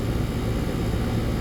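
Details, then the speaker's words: AC condensing unit running normally after a bad dual run capacitor was replaced (universal Turbo 2000) on a no-cooling call: steady, smooth low hum and drone, no buzzing or clicking. Compressor had overheated; it now draws about 10 A. "so now put the one back on but yeah she's running I know you hear the compressor"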